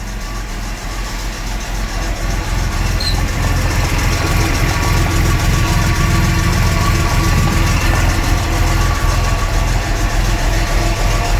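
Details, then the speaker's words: 1975 Jaguar XJ6 Series 2 SWB with full mechanical rebuild, unstarted for months, started on choke; steady low idle with faint light ticking, oil maybe not yet reaching the top end; may need valve re-shimming. "Sounds like it might need re-shimming a bit."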